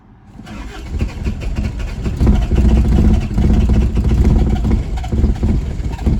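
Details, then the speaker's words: 1981 Isuzu Pup 2.2L C223 diesel, cold start at about 50–60°F after sitting a week: cranks and stumbles unevenly without settling to idle; owner suspects fuel draining via a CSD leak after injection timing changes. "I don't think I've really heard that before sounds really weird very strange"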